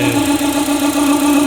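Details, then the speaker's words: Renault Duster 2.0 running with the alternator belt removed. A steady mid-pitched whine persists despite a new water pump, idler, tensioner and timing belt. The source is still unknown. "Já soltei a correia do alternador, não é nenhum rolamento, nada, tá solta a correia ali, tá?"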